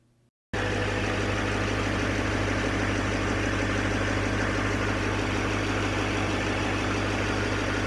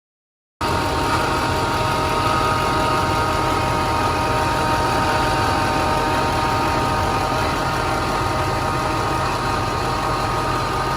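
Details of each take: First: 2006 Duramax diesel after replacing three idler/tensioner pulleys and belt, fan removed, idling: quick start then steady even idle with no earlier whine, whir or slipping noise from the belt drive; normal idle. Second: 2006 Duramax diesel, 17 years old, idling: a steady, variable whirring whine that first sounded like the alternator comes from a worn idler pulley bearing.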